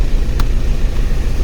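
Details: Audi A4/Passat B5 after clutch replacement: deep, steady diesel rumble at idle, even and smooth with one small click, no rattle or knock; clutch and gears engage without play; normal healthy idle.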